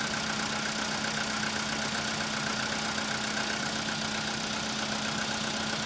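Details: Cold idle with a quick, fairly regular tapping of about four knocks a second over the engine; cold-start knock on a CFNA engine, cause undetermined.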